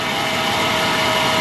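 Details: 1995 Chevrolet Silverado 1500 extended cab V8, automatic, 4x4, at idle: loud, steady rough roar with a constant mid-pitched whine from the A/C compressor, thought to be running dry and needing oil; engine otherwise runs well, cause unconfirmed.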